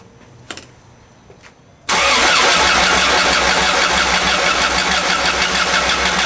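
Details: 1991 Volkswagen Vanagon after engine swap, distributor timing checked at TDC cylinder one: steady fast cranking at about three even pulses a second but never catches; owner suspects air in fuel lines. Starts only on starting fluid.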